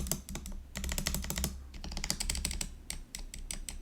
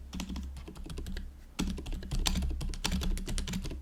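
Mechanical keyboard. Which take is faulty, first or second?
first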